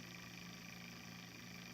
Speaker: you will hear a whirring sound and a second chirping and a beep the pump will turn on and the lights will begin to blink on and off every second